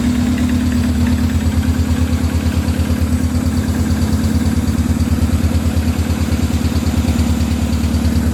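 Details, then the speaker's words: Honda B18B engine after injector replacement, fuel return line hooked up: loud but steady exhaust beat at about three pulses a second, no stumbles or skips; normal idle, misfire was the injectors all along. "That was the injectors all along, like a lot of you guys said, but we kind of figured."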